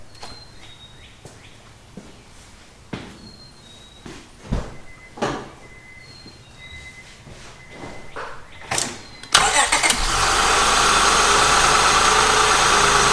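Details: Honda J-series V6 after valve adjustment; a few seconds of handling noise, then fires quickly and settles into a smooth, even idle with no valve ticking.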